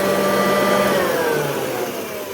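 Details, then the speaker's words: Kirby vacuum, serial 682699 dated to week 26 of 1968, made in Cleveland, Ohio, very dirty and spitting out dust: motor whines with a rough, buzzy note that sags in pitch; sounds bad, cause unclear. "And this one sounds like trash. Wow, I'm angry."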